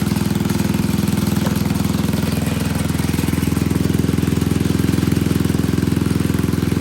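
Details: Old Troy-Bilt Pony rototiller, temporary battery fitted, idling on a little fresh gas: even single-cylinder putter, steady beat around three per second, no misses or knocks; running fine.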